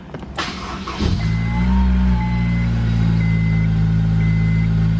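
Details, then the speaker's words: Honda S2000 with modified titanium exhaust (2.5-inch branch, shortened), fast idle around 1750 rpm, previously the worst drone area; starts and settles to steady deep even note; normal. "all right so this fast idle satellite 1750 this was the most drone area right here on fast idle bring it up a little bit"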